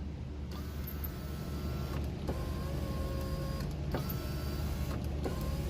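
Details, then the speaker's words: VW Mk6 Jetta rear right power window after tightening a loose 10 mm bolt: the motor whirs smoothly up and down with no clunk, and a slight regulator noise remains. Normal operation. "still has that regulator knowing but there's no more play in the window the window is pretty solid now it won't clunk around"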